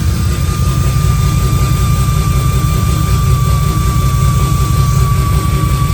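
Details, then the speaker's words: 2JZ-GE VVTi with cheap T51 turbo in MX83 Cressida, first start on Haltech ECU: heavy, raspy six-cylinder idle with steady thin whistle from the turbo's open speed-sensor bung; turbo whistle from open speed sensor port. "that's raspy That's Heavy has a whistle on the T as well cuz I got the um the speed sensor bung out it's like the cheap cheat t-51 arm move the speed sense and they whistle their heads off so whistly has it's screaming"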